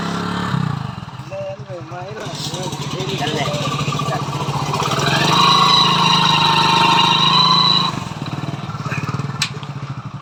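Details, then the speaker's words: Hero Splendor Pro single-cylinder bike: engine putter rises as it pulls away, with a steady hum riding over it under load; source not yet found. "तो जब भी हम bike को आगे बढ़ते हैं तो इंजन से हन्ना की साउंड आता है"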